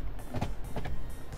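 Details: 2003-2009 Lexus GX470 after setting auto-lock options with a scan tool: a couple of quick low thunks close together inside the cab as the lock actuators fire; locks working normally.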